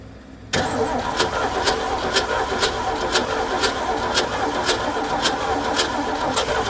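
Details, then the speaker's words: 1969 Ford F100, unrun for years, fuel added to tank, around attempt sixty: catches and runs unevenly with sharp ticks a couple of times a second, a slight lifter tap likely from sitting; alive under partly its own power. "Oh, she's alive. Sounds like a little lift. All right. Well, she's alive under somewhat her own power."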